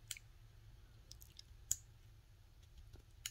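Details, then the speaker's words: Fuel injector out of the car, opened with a neodymium magnet instead of 12V power for cleaning: a few sharp, crisp clicks at irregular intervals as the pintle snaps open correctly. "so i clicked it and i didn't hear anything so i'm going to move it back and forth until i get a click i don't know if you hear that clicking noise right there"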